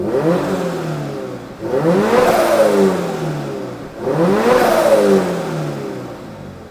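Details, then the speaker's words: Turbocharged new-generation Subaru BRZ on first start-up, warmed after a cold start: two sharp revs, each with a rising then falling turbo whistle over the engine note; healthy turbo spooling, nothing abnormal. "so let's do a sound check oh you hear that turbo"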